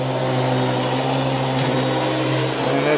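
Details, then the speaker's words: Beam central vacuum power head running after its brush belt was replaced because the brush was not spinning; steady even motor hum with smooth brush whir, no rattle or slipping; normal running after repair. "I'm going to give her a test run and see how it goes. Alright, here we got to plug back in. Let's see how it goes. Oh yeah, you can tell already that's a whole lot better."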